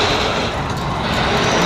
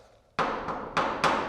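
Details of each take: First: Here are three clever tricks to get rid of that awful sound. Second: Garage door after hinge pins were wrapped in heat shrink to stop metal-on-metal contact: soft dull thumps instead of metallic pings as the door moves; quieted hinge.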